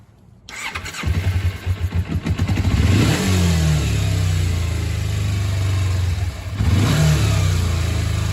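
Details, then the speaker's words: 2001 Kawasaki Ninja 250 with a vacuum leak deliberately created by removing the carb vacuum-port screw: starts, then the idle hangs high, drops and climbs unevenly, and bogs from too much air. "And notice it's going to bog, too. Cuz cuz you're sucking too much air."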